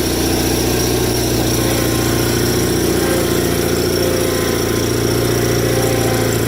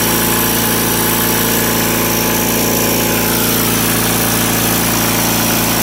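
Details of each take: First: Rare factory-built Cub Cadet garden tractor, single-cylinder idling: loose, uneven metallic rattle over the idle from the PTO clutch counterweight disc flopping around; owner needs to tighten it. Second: so so doesn't skip a beat an interesting thing to note about this is that for whatever reason cupcadet governed these engines at uh 3600 rpm wide open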